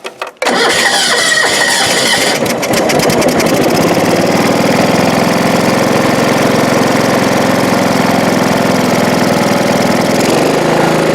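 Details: John Deere 185 mower, sat for two years with two-year-old gas, after carb spray into the intake with the air cleaner removed: brief cranking, then it catches quickly and settles into a steady, even run with no misses or knocks.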